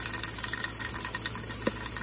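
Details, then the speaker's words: Vintage Mirro-Matic 6 qt pressure canner, canning taco meat, 10 psi weight on, heat at medium: soft uneven metallic jiggling and hiss over a low hum as the weight starts rocking at pressure. "when the pressure inside this pot reaches at least 10 psi, it will make this start to rattle."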